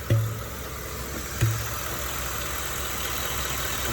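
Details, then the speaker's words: 2015 Ford F150 5.0 V8, about 60k miles, new spark plugs, PCV hose and valve replaced: steady idle broken by dull air pops at uneven intervals, like slight sucking near the throttle body. No check engine light. "body isn't clicking or anything like that it just sounds like air is popping"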